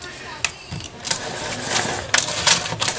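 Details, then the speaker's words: Homelite 330 chainsaw pulled over by hand with the spark plug removed, in irregular strokes: rolls freely with intake pulse felt and no rumble or grinding; normal cranking, no bearing noise, crank bearings sound good. "obviously i don't have a spark plug in there but i can actually feel the pulse coming back up through what's left of the intake here there's no noise from those bearings"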